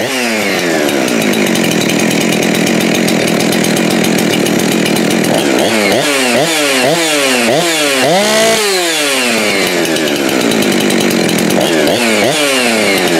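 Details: Husqvarna 372XP X-Torq chainsaw, dead saw salvaged with new rings, honed cylinder and lubrication mod; after fitting a later-version carburetor that cured its high idle, holds steady low idle, takes quick throttle blips, drops cleanly back. Normal idle.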